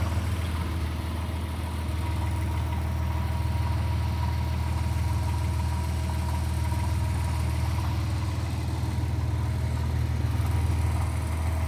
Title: 1997 Porsche Boxster 2.5 Water Pump Rattle Sound